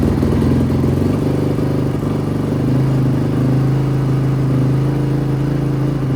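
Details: 2005 Honda CRF450R, previously locked transmission, running on choke: steady fast-idle thump, even beat, no clatter; runs cleanly.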